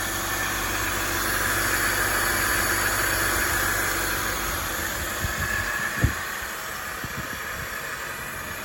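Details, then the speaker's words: Acura RSX Type S with swapped K24 engine, first start after the swap; steady even idle hum with no knocks or misses, a couple of light clicks near the end, normal idle. "how we do it first time starts see if there's any smoke yeah that's what a 50 000 motor should sound like"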